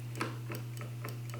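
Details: 2019 Ski-Doo Backcountry XRS, newly installed replacement brake micro switch after old one broke: crisp light clicks about four a second over faint steady hum as brake lever is pulled; switch clicking cleanly, normal.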